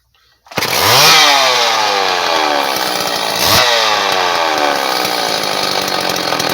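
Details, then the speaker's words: Homelite Super 2 chainsaw, revived with fresh fuel, primed and adjusted carburetor, chain tightened: catches, revs, then settles into steady buzzing idle with one blip; earlier idled 20-25 minutes without missing or dying; healthy. "She just idles right along. I just let it sit and idle outside in the grass for like 20-25 minutes earlier. Didn't miss a beat. Didn't die on me."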